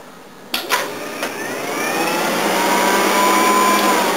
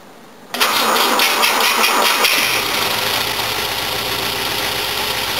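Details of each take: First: Old Volvo with AFI fuel injection: cranking clunks, then engine catches under a thin steady whine from a very noisy electric fuel pump; still sounds like compression on all cylinders. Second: Old Volvo with fuel injection, cold start: brief crank, a noisy fuel pump, catches almost at once, flares up then settles into an even, steady idle with no miss or knock; compression sounds present on all cylinders.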